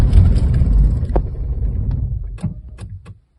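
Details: Corsa B with a 1.0 16-valve petrol engine fires, runs roughly, then dies within seconds; a faulty fuel pump relay, not the fuel pump that was first condemned, cut fuel delivery.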